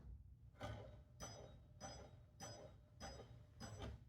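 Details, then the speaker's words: Replacement High Speed Getaway beacon light on a pinball machine: a light metallic ding repeats about every 0.6 seconds with each turn of the beacon, not rubbing at the top; something may be hitting it, possibly the motor's anti-reversing part. "I hear a ding ding ding ding it's not rubbing at the top I don't know what that dinging noise is maybe the sounds like something's hidden but I I'm going to take it off see if something's hitting"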